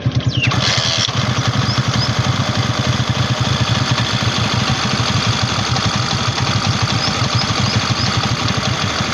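The engine starts and settles into a steady idle with an even beat and no rattle or tapping from the top end.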